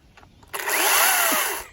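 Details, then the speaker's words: Chainsaw running after chain safety was turned off: sharp buzzing note swells about a second then dies away, smooth and unbroken; normal running. "Yeah. There we go. Okay, so now we have the chainsaw working."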